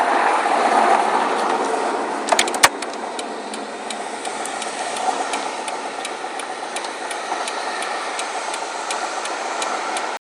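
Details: Rod knock that developed over a weekend, recorded while driving before the drivetrain is replaced (replacement already ordered): a steady light knock about four times a second rides over engine and road noise, consistent with a worn rod bearing.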